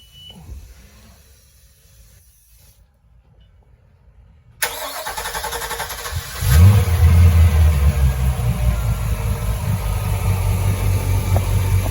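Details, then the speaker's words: 2018 Crownline 264 CR boat engine, cover open (insulated cover normally quieter): brief crank, catches and settles to steady even idle with no belt chirp or squeal; normal idle. "sounds good belts aren't chirping yeah this is with the uh cover open and uh there is sound insulation underneath the engine cover so it's a lot quieter when the covers down"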